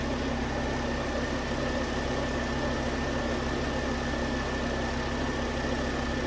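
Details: 2009 Volvo S40 T5 AWD R-Design, flood-damaged Copart car, after a melted alternator idler pulley was found as the fault: smooth steady idle with an even low hum, no ticking, squeal or stumble; normal idle.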